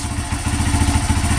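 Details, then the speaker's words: Honda CRF80F dirt bike that had sat unused, running after a new NGK spark plug and fresh gas, choke on and in neutral: short, steady single-cylinder putter with even firing and no knocks or misses; normal idle. "that sounds pretty damn smooth. It's a neutral too."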